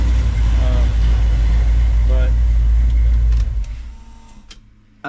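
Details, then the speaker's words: Dodge D150 5.9 Magnum, cammed, first start on Holley EFI after one lifter was replaced: deep, steady V8 rumble with no top-end ticking; lifter tick gone, running well. "as you can see it's running pretty good I don't have a lifter tick anymore which is awesome"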